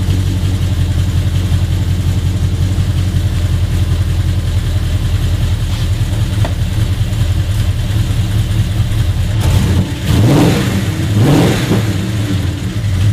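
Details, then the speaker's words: AUII Ford LTD 5.0 V8, first start after rebuild with Tickford GT40P heads and T3 cam, stock tune, driver bank lean, stalls with the MAF connected: with the MAF unplugged it idles steadily and takes two clean blips; MAF suspected. "Fires fine and then stalls."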